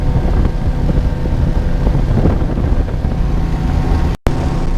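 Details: 1999 Johnson 200 HP outboard (J200PLEEB) cruising through chop after replacing a faulty SystemCheck fuel-flow vacuum switch blamed for false check-engine alarms; steady low drone under gusty wind, no warning horn or check-engine light, running healthy.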